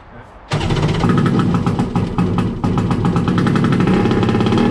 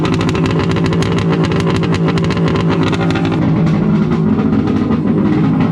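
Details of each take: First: First start of a Wave Blaster jet ski after a 701-to-1100 engine swap, with temporary exhaust pipes. It starts abruptly into a harsh, crackling, very loud two-stroke rattle at fast revs. No cooling water flows through the exhaust; owner suspects the water pipes are plumbed wrong. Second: Wave Blaster jet ski after a 701-to-1100 engine swap, running after a rubber O-ring was removed to increase cooling water flow for a warm silicone pipe. Loud, raspy, even two-stroke roar with rapid steady pulses and no misses or stumbles. Normal running.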